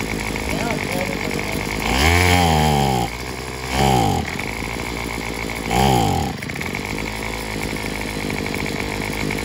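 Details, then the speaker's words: Craftsman WS210 string trimmer, carburetor already replaced without help: revs climb on three throttle blips, then sag back to a rough idle; bogging, owner suspects a partly clogged fuel line or the muffler. "it sounds like a muffler but I mean what I've seen online they'll run but you get the gas they died just like this one doing"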